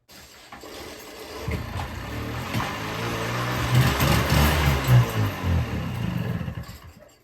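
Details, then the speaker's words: 1978 Honda Hobbit moped, 240 original miles, shed find with rust-filled tank and plugged carburetor, leaking fuel: engine catches and pops raggedly for a few seconds then fades even with fuel poured in the cylinder; dies from fuel starvation. "yeah it's just not getting fuel"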